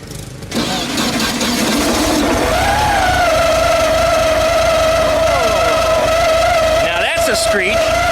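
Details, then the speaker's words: VW Super Beetle after installing a new alternator, starter and distributor: right after the engine catches, a steady squealing tone rides over the idle as the cooling fan rubs inside its shroud; it stopped once the alternator was in and the clamp tightened. "is rubbing the inside of the Shroud for some reason we're gonna have to investigate that but that's not good that's no good at all"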